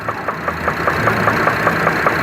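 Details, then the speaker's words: Chevrolet Traverse at idle: loud, sharp, metallic internal knocks, about five per second. The cause is unknown and the engine is to be torn apart. "Alright guys, on today's video, we are playing an engine knock. Hear that thing knocking away?"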